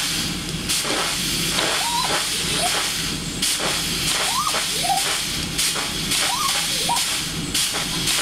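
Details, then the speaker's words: Newly built vertical test steam boiler, about 45 minutes after firing, safety valve set: loud steady steam hiss with repeating pump-stroke chirp; feed pump cycling normally, raised water level 2 inches in about a minute though lines seem slightly restricted. "think that the lines are a little bit restricted, but it does pump good. We raised the water level 2 in in maybe a minute."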